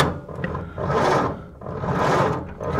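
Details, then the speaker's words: 1930 Ford Model A Deluxe coupe, last registered 1980, start attempt outside: starter churns engine in slow, uneven swells, no firing; no spark suspected from a flaky ignition switch, unconfirmed. "Come on, baby. Doesn't sound like I have spark. Let's try it now. This switch is kind of flaky."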